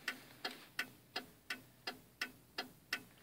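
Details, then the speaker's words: 1995 Cadillac Fleetwood turn signal, during a socket repair after the blink rate varied: crisp, evenly spaced flasher clicks at about 85 per minute, the normal rate. "now it's kind of fast this is how it's supposed to sound like"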